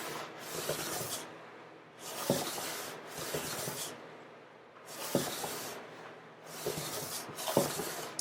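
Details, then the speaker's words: Hand plane on the top/back joint of acoustic guitar plates, blade gradually extended: soft hissing strokes turn louder and grittier as the blade starts catching at the ends. "You'll hear a difference in the sound when it starts to catch. And there we have it. It's now catching on the ends."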